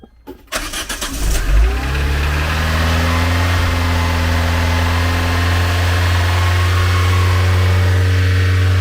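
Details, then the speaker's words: Renault 11 TXE carburettor engine cold-started, choke used, warming up: cranks, fires, settles into raised slightly uneven idle around 1500 rpm then stalls; won't hold idle. "Bon ben maintenant, il y a plus qu'à la laisser s'échauffer. Ah, par contre, elle veut pas tenir le ralenti."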